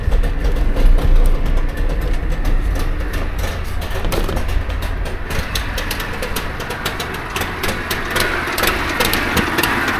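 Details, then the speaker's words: Trabant 601 two-stroke after backing a carburettor screw out a bit: uneven, lumpy idle with wandering beat that never settles and wants to stall; no real improvement, so the other adjustment screw is tried next. "Ja, ist nicht unbedingt besser geworden. Können wir versuchen, ob wir dem Schraubenzieher an die andere Schraube kommen, um die nochmal einzustellen hier."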